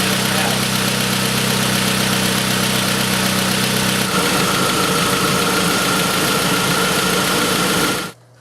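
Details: Pontiac Sunfire 2.2L, first start after broken timing chain repair: steady, even idle with a smooth regular beat, no knocks or rattles, holds until switched off. Radiator noted as partly plugged. Healthy running engine.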